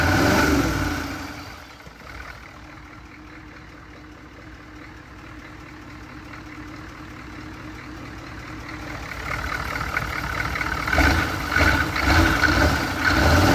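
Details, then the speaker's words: 1983 K5 Blazer with a freshly swapped 6.2 diesel, intake not yet fitted and running on a temporary fuel pump hookup: a steady idle building into rising revs near the end, smooth and even. It runs very well. "I runs very good for what it is right now."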